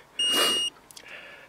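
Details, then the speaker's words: Hulkman 10.0 jump starter connected to a 2004 Cadillac DeVille Northstar V8 battery at 7.2 volts, in deep snow: one sharp high-pitched half-second beep, then quiet; it warns of very low or no battery before override. "now it's beeping because there's very low battery or no battery"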